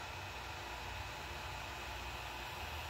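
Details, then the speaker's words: Creality Ender 3 Pro after upgrading to the Creality silent mainboard (firmware 1.1.8), running a test print: only a soft, steady fan hiss with no stepper whine or buzz; the printer is now very quiet. "so here is the test print and as you can see the printer is now very quiet"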